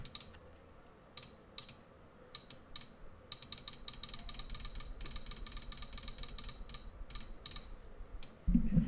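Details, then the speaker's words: Relay driven by Microchip SAMD21 running FreeRTOS, switching on ADC light-sensor comparison as sensor is blocked: crisp dry clicks in uneven bursts of about four a second, normal relay switching. "So hear the clicking noise of the relay."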